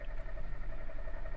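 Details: 2014 Hyundai Accent with active code P1693 immobilizer/key transponder fault: steady rhythmic cranking at about five pulses a second that never catches; cranks but won't start, immobilizer blocking.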